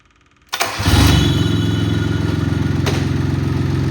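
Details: Cub Cadet Cyclops lawn tractor diesel after lift lever install and rock shaft greasing, oil level checked OK. It cranks briefly, catches at once and settles into a steady, quick, even chug; the oil light goes out. Normal start and healthy idle.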